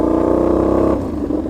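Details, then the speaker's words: Motorcycle riding with a loud, raspy, blatting exhaust note; leak from play at the joint between the silencer and catalytic converter, and retightening the clamp made no difference. "j'ai essayé de resserrer le collier là ça change a rien qui va se passer ça a fait un bruit comme si que les temps d'échappement"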